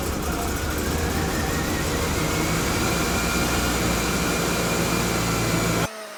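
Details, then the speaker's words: 1997 Mazda B2300 (rebadged Ford Ranger) idling after a snapped timing belt was replaced; steady, even engine note with a firm low rumble, starts and idles smoothly with no misses or knocks. Normal idle. "So, as you guys saw in the last clip, we got it running. It was the timing belt."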